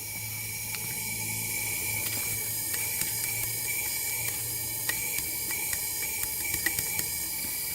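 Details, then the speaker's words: 2014 Honda CRF250L that won't start, leak-down test at top dead center: steady airy hiss of air escaping past the piston with faint ticks; worn piston rings leaking, though oil in the cylinder oddly didn't raise compression. "can you hear that air coming through here so that means rings are letting air go by"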